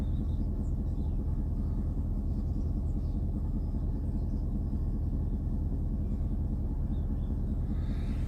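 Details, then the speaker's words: 2000 Dodge Durango 5.9 V8, cold start after waiting about 8 minutes through a "no bus" fault: starts and idles with a steady, even, smooth rumble. Owner later found a burned electric fan wire shorting in the harness. "Now watch the no bus. That's 8 minutes exactly. And it starts up and it runs fine."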